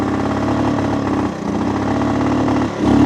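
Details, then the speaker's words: Shaft-drive three-wheeler started just after reassembly: steady buzzing idle that sags twice and picks back up unevenly. Owner hopes it might run better as it goes; it later stops running. Rough running, cause unclear. "might run better as it goes. We'll see."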